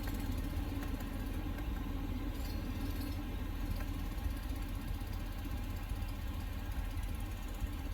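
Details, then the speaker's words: 2020 L5P Duramax diesel truck just after fuel filter change; cranked 5-6 seconds before firing: steady even diesel clatter and smooth low rumble, no misses; normal healthy idle. "and then fired up and has been idling smoothly."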